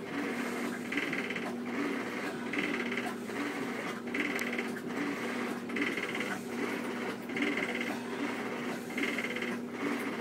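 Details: Two-year-old Whirlpool Cabrio top-load washer; rattly clatter with each agitator stroke, about once a second, over soft motor hum, only while washing, not during spin; owner suspects bearings, cause unknown.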